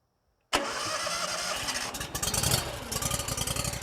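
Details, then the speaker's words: Honda IGX700 fuel-injected V-twin on a log splitter, cold start; surging and cutting out appears only after a minute or two once warm, now suspected to be spark delivery. Catches at once, settles into quick, fairly steady idle; normal cold start. "When we start it up, it starts up just fine, but in a minute or two, once it warms up, that's when the issue shows itself."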